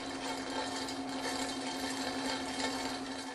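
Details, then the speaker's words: Centrifugal pump cavitating: dense loud rattle like marbles rolling inside the pump over a steady hum, caused by bubbles forming and collapsing when fluid pressure at the suction eye drops too low relative to temperature. "another abnormal sound that you may hear coming from a centrifugal pump is a loud rattling that sounds like marbles rolling around inside the pump"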